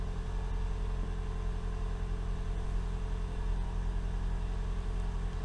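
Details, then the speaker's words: 2012 Toyota Camry Hybrid, first start after swapping the stock NiMH battery for a lithium battery; press Ready twice, clicking, then a smooth, even petrol engine idle with no error codes: normal idle. "you run the doctor breeze app engine fire up this is good so far check for error code"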